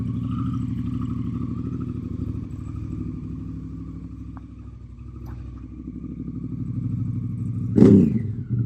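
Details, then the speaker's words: Honda CRF Africa Twin, started after sitting two months: deep, loud, rapid twin-cylinder burble rising on a blip, open and harsh; exhaust baffle insert fell out, possibly after its grub screw loosened, much louder exhaust. "Nala just coughed out her baffle, and I instantly noticed that the bike was sounding considerably louder"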